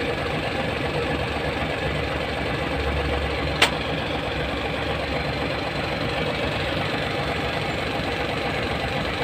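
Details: Hino 700 truck with E13C diesel, low power, rough idling and hard starting: steady idle with a lumpy uneven undertone, one cylinder firing poorly; cause is malfunctioning injector #5.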